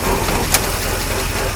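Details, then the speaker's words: 1953 Oldsmobile Rocket Super 88 V8 idling in neutral with the transmission still turning and no brakes fitted. A faint whir under the steady idle comes from the driveshaft rubbing the parking brake assembly. "but yeah look whirring noises is the driveshaft hitting the parking brake assembly because"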